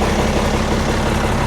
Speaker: I would say I got it Tim right Run's beautiful